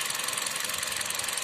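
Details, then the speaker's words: 2014 Kia Rio with individual two-pin ignition coils idling unstably, one cylinder suspected dead: unplugging one coil gives a quick, uneven pulse with a missing beat; reconnecting it restores running, showing that cylinder works normally. "tratando este se nota que el motor falla volvemos a ingresar y empieza a trabajar"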